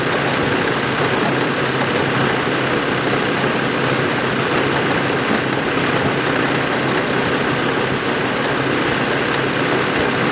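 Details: 2005 Land Rover Defender 2.5 turbodiesel, manual, 4WD, 92,000 km, on lift in fourth gear, front right hub: fast light steady ticking over engine hum as raised wheels spin; hub or driveshaft suspected, hub turns normally.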